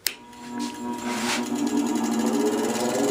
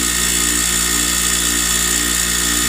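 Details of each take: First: Bench grinder with wheels on, test for balance: smooth steady whir spinning up, settling hum, no rhythmic wobble or table shaking; wheels pretty much in balance, normal running. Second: Newly mounted wire wheel on a bench grinder at full speed: steady high whir with faint scratchy rasp as loose wire bristles strike the guard.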